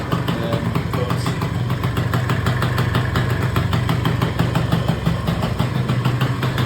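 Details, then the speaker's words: Auction-bought Peugeot Speedfight 2 100cc two-stroke scooter with a Leo Vince exhaust, after its first start and a tick-over screw adjustment. It idles steadily with a buzzy pop, though still smoking. "So as you can see there now, idling absolutely beautifully. It is chucking out some smoke, so I think it probably just needs a good run for glass."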